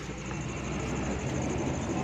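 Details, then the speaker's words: Mitsubishi Mini Pajero, jacked wheel spinning; loud noise when braking and driving: a harsh, steady scraping grind as the disc brake caliper rubs and cuts into the inside of the wheel rim, damaging it. "ये आवाज़ दे रही है, ये आवाज़ आ रही है दोस्तों, बहुत तेज़ आवाज़ आ रही है। तो उसको खोल के चेक करेंगे किस चीज़ में प्रॉब्लम है। दोस्तों सबसे पहले ये हमने व्हील चेक किया है, रैम से अंदर कटाई शुरू कर दी है इसने। ये आवाज़ इस वजह से आ रही थी।"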